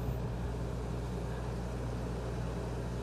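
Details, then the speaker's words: Dometic RV rooftop air conditioner after relay board swap to cure a compressor stuck on, set to 70: steady low hum with even airflow, compressor running, no clicking or rattling; normal running. "i hear the compressor going but i'll check back with you in a couple sec a couple of minutes"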